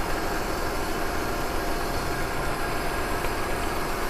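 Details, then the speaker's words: Maruti WagonR CNG with vibration, poor pickup and P0303 misfire code: uneven, lumpy idle loping about four times a second; unplugging cylinder 3 changes nothing, so its ignition coil or spark plug is dead. "ये इससे कुछ फ़र्क ही नहीं पड़ रहा है। और 3 number injector ignition coil काम नहीं कर रहा है या स्पार्क प्लग काम नहीं कर रहा है।"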